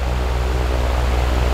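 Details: Dayton 2MA11 24-inch ball-bearing fan (Grainger), original capacitor, low speed, measured at the fan at about 70 dB and 1200–1250 rpm: steady, deep droning whir with a low hum, no knocks or rattles; excessive fan noise on low speed.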